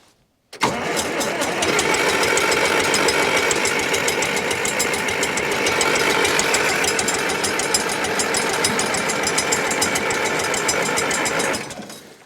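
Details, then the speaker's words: 1968 John Deere 500A diesel (industrial 3020) loader tractor parked 10+ years, throttle at half, no ether: steady starter chug about 3.5 turns a second for roughly eleven seconds, exhaust smoking so fuel is getting through, but it never fires. "I'm going to try cranking it smoking okay going to try it again I'm trying to avoid ether this time since it's smoking that tells me that diesel fuel is getting to the"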